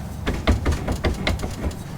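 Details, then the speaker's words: Jeep Grand Cherokee rear driveline found during pre-trail bolt check, shaft worked by hand from underneath: dull clunks about three per second; U-joints recently serviced and fine, clunk from worn slip yoke splines, driveline also slightly short. "Got a clunking noise coming from somewhere, so guess we'll crawl under there and take a look."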